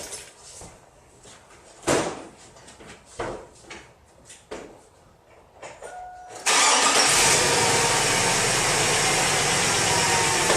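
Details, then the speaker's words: 2002 GMC Yukon Denali after new belt, tensioner, idler pulley and alternator to cure a belt squeal: cranks and catches into a steady even idle with no squeal or chirp; belt drive now sounds healthy. "take a look repel it's running good they seem to be operating that might just be a win"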